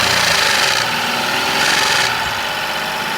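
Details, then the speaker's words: 2019 Renault Logan 1.0 12-valve three-cylinder, hard starting: rough idle with light uneven knock near four per second from the top end of the cylinder head; worn camshaft bearing caps allowing end play. "esse carro faz um barulho bem diferente quer ver"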